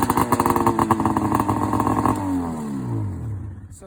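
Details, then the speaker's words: Rotax 670 two-stroke in a Ski-Doo Summit snowmobile, cold start at about 30°F after priming and several pulls: catches quickly with crisp rapid popping, revs settle smoothly; starts easily and runs normally. "You got to do this maybe 10 to 20 times, depending on how cold it is. Prime it again. Just fires right up."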